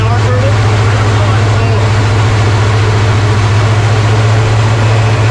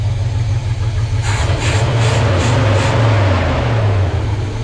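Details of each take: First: 1970 Chevy C30 with rebuilt Rochester Quadrajet carburetor on original fuel system: low idle rumble with a thin high whistle from an open port; serious vacuum leak, a second leak point also suspected. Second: 1970 Chevy C30 V8 after Rochester Quadrajet rebuild and new fuel pump, running on its original fuel system and warming up: deep, steady burble with even idle and no misses or knocking.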